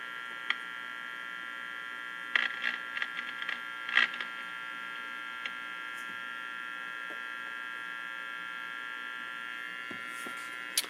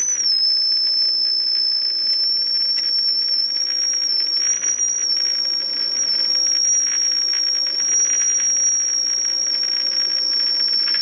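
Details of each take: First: Philco 48-250 tube radio after capacitor replacement, alignment using loop antenna and signal generator on next band: volume all the way up, only steady hum, high tones and faint clicks, no signal received; cause unknown, switching to tuning on faint station. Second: Philco 48-250 tube radio after capacitor replacement, IF alignment: steady high whistle holds level over soft hiss, no wavering; IF stage peaked well, first alignment step complete.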